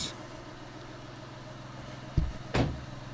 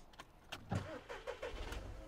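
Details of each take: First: VW Polo 1.2 TDI diesel, 2012/2013, that started then stalled after two seconds, codes P261A00, P023800, P010400. Test start after a fix aimed at exhaust gases being robbed from the turbo: steady, even idle with no hunting or stumble. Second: 2013 VW Polo 1.2 TDI, codes P261A00, P023800, P010400, intake already cleaned without effect: diesel catches, runs rough about two seconds and dies; stalls after starting, EGR valve stuck open suspected before scanning.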